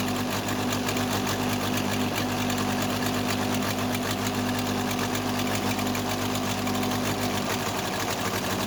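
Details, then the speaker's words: Case 580C backhoe diesel after valve adjustment; cracking injector lines shows second cylinder pulling weak in fast uneven clatter; owner suspects second injector, valve or piston rings, not the line, little difference at high revs: misfire on one cylinder. "All right, it's that second cylinder. I don't think it's the injector line. You couldn't hear much of a difference at high revolution."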